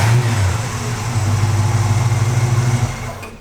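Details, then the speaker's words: Barn-find classic truck after its side exhaust was swapped for duals, running and driving well: deep, even exhaust note that swells with a throttle blip and settles back cleanly, a healthy-sounding engine. "like alex said it runs and drives just fantastic fire it up so the motor i mean look at the ipod it's just it's like a brand new truck"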